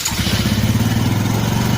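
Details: Carbureted Honda Karisma single-cylinder motorcycle, tested after carburetor adjustment for stumbling and unstable idle: fires and picks up quickly with an even, rapid beat, no stumbling or popping; starts and revs clean.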